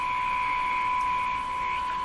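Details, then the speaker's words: Eatons Universal Electrohome floorstanding tube radio, signal injected between tubes with an audio wobble present; constant high thin whine over faint hiss. Owner suspected it was coming from the antenna; unconfirmed. "there's another sound in here now kind of a higher pitched whiny sound could that be coming from the antenna"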